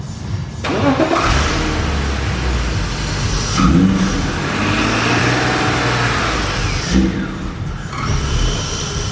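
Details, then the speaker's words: Car restarted after a hydrolock: it catches, then runs lumpy and uneven and struggles to rev under throttle, likely misfiring; a compression test showed cylinders 4 and 5 well down on the rest. "I got a green car called the Bastard, and she's running a bit poorly. She don't wanna rev up now, cause she there."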